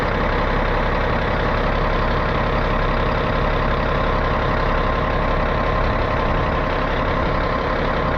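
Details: 637 scraper, long-sitting machine, after repaired switch reinstalled: steady, even diesel rumble at idle with no knocks or misfires while air builds; big engine running healthy.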